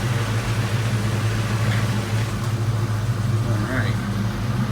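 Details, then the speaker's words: 1992 Mustang GT Foxbody V8 idling after the engine bay was reassembled: a deep, even burble with no knocks or misses. Running pretty good. "she's running pretty good we're working on it"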